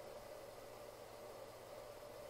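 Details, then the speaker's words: DPS5015 power supply (50 V, 15 A) in its case: a constant airy drone with a steady mid-pitched hum. The cooling fan is noisy. "Now, um it's got to be said that it is quite noisy. Um so, let me just turn it on and see if you can hear that. Now, that's just the back fan, and it gets about that loud again when the fan inside starts going."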